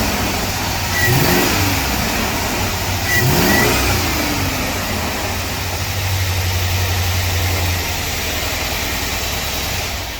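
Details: 2006 Chevy truck V8 that stopped running properly: two quick revs then settling, earlier lifter ticking now gone (lifter suspected out of contact); still runs rough, cause unconfirmed.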